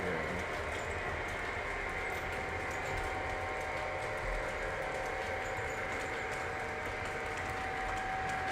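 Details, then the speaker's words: Model train passenger cars running on a layout: a thin, high squeal comes and goes over the steady rolling rumble, from dry wheels that need oiling. "I apologize if you can hear the squeaking right now. Those are terrible."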